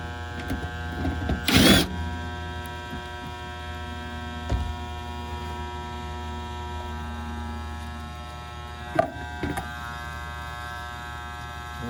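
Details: Goodman gas pack package unit on a no-cooling call: steady electrical buzz with no motor spinning up, possibly started that day; motor energised but stalled, run capacitor suspected, not confirmed.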